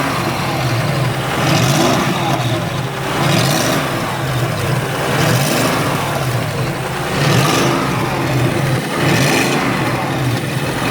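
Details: BMW X5 running, raspy puffing hiss riding over the engine and swelling roughly every two seconds; the source of the exhaust leak is still being searched for.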